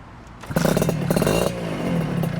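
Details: 1996 Honda Nova Dash 125 two-stroke with a newly fitted WRC full titanium exhaust, replacing a very loud straight-through pipe. It fires up and settles into a quick, even idle with a steady burble, still a little loud; normal two-stroke idle.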